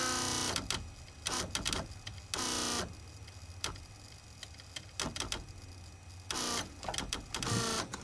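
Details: Buick Grand National Powermaster brake pump motor, gauge fitted with pressure switch behind reservoir, key on: motor whirs in short bursts, stops and starts with rapid clicks as pressure builds; bad pressure switch cycling the motor, replace switch.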